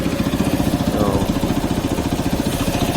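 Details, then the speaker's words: Motorcycle idling after a ride, chain fine. Rough running with a loud, steady, quick ticking of about three to four a second; owner says the valves again need adjusting. "the engine is just running like crap it's ticking quite loudly so that's indicating to me that the valves once again need to be adjusted"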